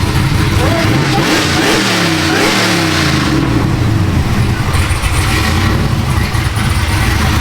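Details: Supercharged LSA 6.0 V8 Silverado build (about 700 hp), with a mock-up intake: strong deep rumble climbs cleanly through several blips and settles back with no knocks or rattles. A healthy engine.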